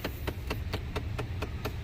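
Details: 2009–2014 Ford F-150: steady sharp ticking, about four clicks a second, from behind the dash; failing blend door actuator, usually passenger side, reachable behind the pillar through the glove box; fix is actuator replacement.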